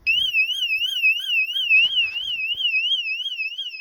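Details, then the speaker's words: Phatmoto bike with Coleman 98cc engine: its add-on alarm, once armed, sounds a loud warbling electronic siren wavering about three times a second when the bike is moved. "Has an alarm on it. So, if you hit this, it turns the alarm on. And if you move the bike,"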